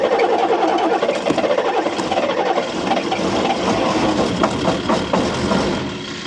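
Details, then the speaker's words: 1983 Unimog 1300L diesel, cold start at -10°C in the Arctic Circle without using the preheater, microphone next to the engine: heavy clatter catches and settles into an uneven, rattly idle; normal diesel cold start. "Right, we're just going to do a cold start of a 1983 1300L Unimog. So we haven't used the preheater. It's -10 and we're in the Arctic Circle."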